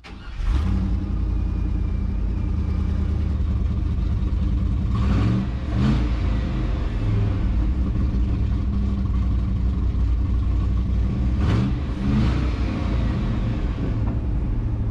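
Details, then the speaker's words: 1976 GMC Sierra V8, abandoned and long sitting: catches and settles into an uneven, lumpy idle with occasional stumbles and surges; rough idle, cause unclear. "she was idling a little rough I mean like r u FF Ruff it it wasn't sounding too good"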